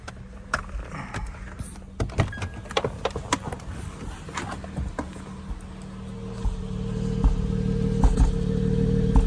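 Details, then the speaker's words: Acura TL V6 idling with uneven popping stumbles as the check engine light comes on; scan tool live data shows a cylinder 4 misfire. "you hear that little poop boop yeah got it plugged into this game tool live data we got a misfire slender four so that's what's happening"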